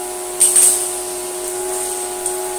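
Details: Electrolux Slimline 185 vacuum after repair: a steady motor whine with an even rush of air, very noisy but with fantastic suction, nothing rattling or labouring. It is a healthy run.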